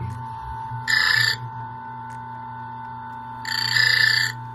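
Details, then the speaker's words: Turin DF64 coffee grinder reassembled after clearing a clog, with the burrs adjusted down: a steady motor hum, then two short high chirps as the burrs lightly touch. This marks the zero point. "we're going to take it all the way down until we lightly hear the burs chirp"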